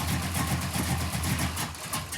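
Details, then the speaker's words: 1967 Pontiac Firebird V8 idling after distributor reinstall fixed lack of oil pressure; oil pressure now present, feared squeak gone. Steady even rumble, no squeak or knock; normal idle. "Got oil pressure? That's a good sign."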